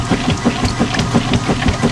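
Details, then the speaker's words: Washing machine during agitation with quick, evenly spaced clicks about six a second over the churn; the agitator dogs are worn and slipping, an inexpensive part to replace ahead of failure. "the warned agitator dogs. Shouldn't do that. And for comparison, it doesn't make that sound. So yes, you can find out that there is a problem that is pending."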